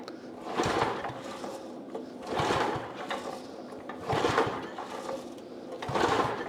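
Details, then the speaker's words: Thirty-year-old Brave log splitter, freshly fueled with the shut-off valve on: four slow pull-start cranks that turn the engine over, but it never fires, a crank-no-start; spark check follows. "she ain't doing nothing all right so what we said we uh check for spark"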